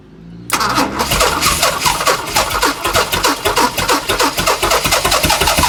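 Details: Chrysler Valiant Hemi 265 six with a rebuilt starter wired through a bypass switch: steady, fast, even cranking, but it never fires or catches; turns over and won't start, cause not confirmed.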